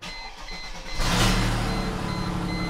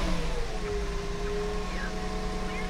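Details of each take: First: Mercedes with 207,202 miles, stalling and poor running, oxygen sensor removed to test for a clogged catalytic converter: loud raspy blatting idle from the open sensor port; exhaust leak, and it drives well this way. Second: Mercedes E320 W210 on first start after fitting a new catalytic converter: smooth, steady low idle rumble with no puffing or ticking from the pipes; exhaust sounds sealed with no leaks.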